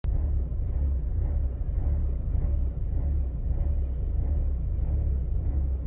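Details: Mercedes W203 2.0 petrol, cold start: lumpy uneven idle rising and dipping about twice a second for a minute or less, with petrol smell; diagnostics find no fault, cause unknown.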